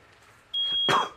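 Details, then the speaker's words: Smoke alarm demonstration with a photoelectric alarm placed in a smoke-filled aquarium: it sounds within a couple of seconds, then both alarms give a steady, sharp, high-pitched tone. "only took a couple seconds for that one to go off now you can hear both of them going off finally because we mixed up the air a little bit"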